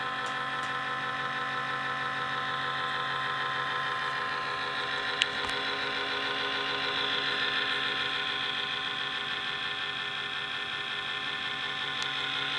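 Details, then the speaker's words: A laptop fan runs loud with a constant high airy whir and a steady tone at one speed; the fix shown is wedging in a piece of cardboard. "You hear that? That's that annoying fan noise on your laptop."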